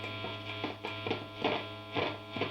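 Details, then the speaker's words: Ibanez AR420 guitar through an ENGL amp, knob off: the volume pot is still scratchy despite a ton of cleaner, giving irregular crackly bursts over the amp hum as it turns; it now swells instead of jumping on. "But the biggest thing is this volume pot. That's why I still have the cover or the knob off. It's still scratchy."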